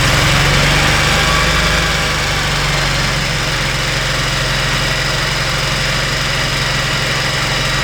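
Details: Kawasaki Mule 3010 on choke after replacing the failed fuel pump: rough-edged but steady idle, about three and a half pulses a second, pump heard working at the end; confirmed fix, normal idle.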